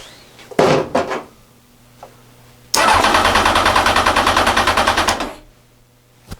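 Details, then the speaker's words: Honda Fireblade after standing 14 years, ignition bypassed to test cranking; strong, even starter cranking for about two and a half seconds spins the engine freely, with no firing yet. "So, anyway, I've just done a quick bypass just to get the ignition on cuz I just want to see if it will crank over."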